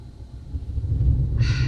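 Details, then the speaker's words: Toyota Tundra (2007–2021 body) idling while scan tool commands cam phasers to max variable valve timing; low rumble surges and sags unevenly, engine stumbles, rough idle from commanded cam phasing. "And with this, you feel the engine kind of stumble, poor idle."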